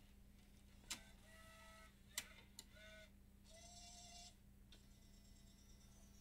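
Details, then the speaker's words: Bose 3-disc CD changer after repair for grinding and stuttering: sharp clicks and short motor whirs over steady hum during startup cycle testing each drive and moving up and down; normal, no grinding. "bad thing is every time you turn it off it starts from the beginning through the startup face so we're hearing all the clicking testing each of the drives and now it's gonna go up and down"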